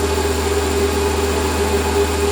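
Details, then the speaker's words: Lathe cutting with the newly finished stepper motor power feed, feed rate turned up and down: steady, even hum with a soft constant tone over the cutting hiss, no knocks or surging; feed works smoothly. "let me uh turn it up a bit and turn it down yeah it's great works a treat"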